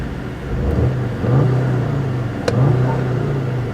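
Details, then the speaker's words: Turbocharged four-cylinder manual car at an auction, revved from the driver's seat: it pulls up smoothly from idle and holds an even, steady drone with no knocks, rattles or misses. Sounds healthy. "so that car sounds good let's listen to that thank you this is a turboed four cylinder so it is a pretty nice car bro"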